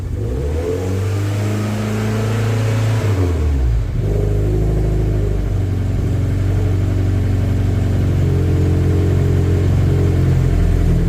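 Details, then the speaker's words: MGF race car on live data: after a blip the revs hang high, then fall sharply to a lumpy idle that hunts instead of settling. No fault codes, but the engine light flashes since a conversion. Idle surge. "it's gone back down again [Music] foreign [Music] so yeah that's what it was doing there isn't really any fault codes that suggests anything untoward"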